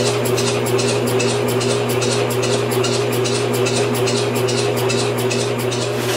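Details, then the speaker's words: Homemade upside-down engine on its first test, propane-fuelled, cranked by a motor rather than by hand: steady starter hum with soft chuffs about two or three a second that never fire. No start from incorrect ignition timing. "well after fiddling around with it for a couple of hours this is as far as i've got some ignition timing issues some"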